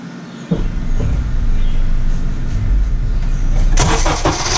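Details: Honda (CR-V) engine after replacing the power steering pressure line O-rings and topping up fluid: cranks, catches and settles into a steady even idle with no whine or groan; power steering noise gone, normal idle.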